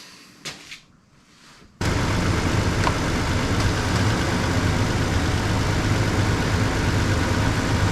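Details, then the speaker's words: Chevy Express van after exhaust manifold replacement, finally started after a no-start: engine settles into a steady, even idle, much quieter, with no ticking or puffing from the exhaust; healthy. "Nothing? Nope. Hear how much quieter it is?"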